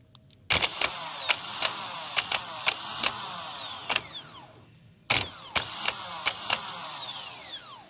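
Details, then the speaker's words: 1992 Geo Metro G10 1.0L three-cylinder automatic: removed starter bench-tested unloaded, high even whir with click at engagement, sounds good free-spinning; bushing rides in and out on the silver shaft, suspected worn, likely causing growly noise only under ring-gear load. "It's not doing anything. Everything sounds really good right now"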